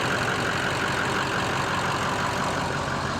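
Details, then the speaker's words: Ford F250 6.0L Powerstroke diesel after cleaning the sticking VGT vanes or unison ring of the Garrett turbo: steady, even idle with a smooth low rumble and turbo hiss on top, no knocks or misses; sounds good, engine light still to be checked. "but it's up and running. That's a positive. So everything sounds good, felt good."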